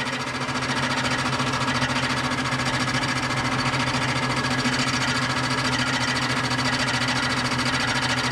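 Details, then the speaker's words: Barn-find 1998 Jeep Cherokee XJ, first run on a different battery: harsh metallic clatter at three or four hits a second over the idle, though it has oil pressure; a bent bell housing cover is striking rotating parts. "wow i mean that sounds like it's shredding itself from the inside uh yeah well frankly i'm not sure what to do with that i mean that sounds like yeah that's bad you know very very bad uh one might even say awful there's definitely a lot of metal noise going on in there"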